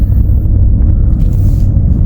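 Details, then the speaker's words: 2018 Ford F150 4WD, slow driving: steady low roar with no rhythm, sounding just like a bad wheel bearing; caused by a failing integrated wheel end (IWE). The noise disappears when shifted into four-wheel drive. Wheel bearings were previously replaced wrongly for the same noise. "now you can really hear it roaring how loud it is sounds just like a bad wheel bearing"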